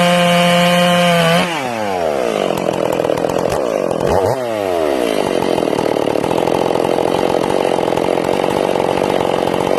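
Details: Ported Stihl MS461, break-in, rings not seated: with the high jet turned back after a quarter-turn richening, the revs drop and burble entering the wood, then it settles into a clean, steady pull in the cut.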